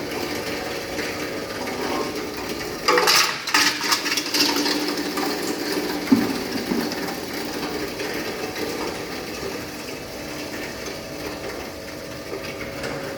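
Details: Hammer mill crusher with roughly 7–8 sieve screen crushing dried agro-waste (cocoa pod husk) fed one piece at a time. Burst of rattling crunches, then even, steady whir as material clears the sieve; working normally.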